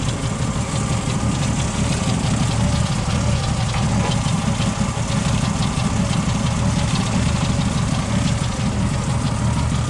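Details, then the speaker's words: 1977 Ford F-150, 4.9L 300 cu in straight six, cold after radiator replacement: low, heavy, lumpy idle with occasional stumbles; choke set all the way open and needs fixing, engine dislikes running cold; owner also notes an unexplained miss-like idle. "Like I said, I got the choke set all the way open. So when it's cold, it's not really liking it."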